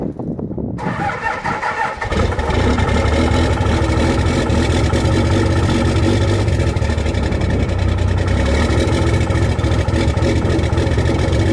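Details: Cummins diesel cold start in freezing weather with grid heaters disconnected, camera at rear of truck: long crank, catches at about two seconds, then a loud, uneven, lumpy idle; cold start rough idle without grid heaters.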